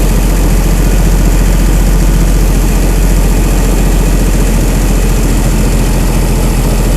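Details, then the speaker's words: Chrysler 225 Slant 6 generator engine with new Holley Sniper EFI, cold and warming up; IAC at 100%, probably holding high idle, throttle 0%, weak battery; deep steady fast rumble without misses; normal high idle during warm-up. "the IAC is at 100 percent probably because it's trying to maintain that high idle"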